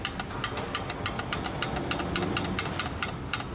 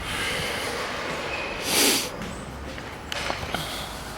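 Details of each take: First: 1988 Toyota Land Cruiser Troop Carrier, carburetted, parked five years with new distributor and carburetor: engine holds a steady, even idle with light regular ticking, running properly. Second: 1988 Toyota Land Cruiser Troop Carrier, parked five years with new distributor and carburettor: cranks with spark, barks briefly only on sprayed brake cleaner and dies; no fuel reaching the carburettor.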